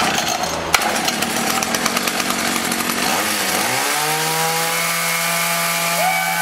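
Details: Echo HC-1600 two-stroke hedge trimmer, revived after sitting a long time, after opening a carb adjustment half a turn: sputtery stumbling at first, then climbs and settles into a clean, steady high buzz. Now runs smoothly.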